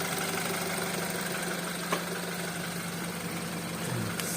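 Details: BMW X3 F25 with N20B20 petrol engine, about 100 seconds after a cold start: steady, rapid knocking through the idle hum; engine knock, cause unknown so far.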